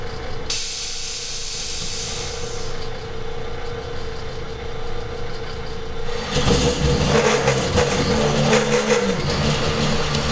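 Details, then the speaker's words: AutoDrill 5000 series with annular cutter, 3/4 HP motor at about 350 RPM on a makeshift stand: chatter at start of cut from low power, then settles into clean, smoother drilling. "it's now drilling clean after it had a little chatter during the start"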